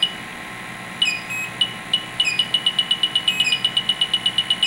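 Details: Refrigerant leak detectors (Fieldpiece SRL8, Testo 316-3, Bacharach Informant 2) on an R11 CFC reference leak, Testo alerting at about 1/8 inch: high chirps quicken to almost three a second near the leak. Leak detector alarm.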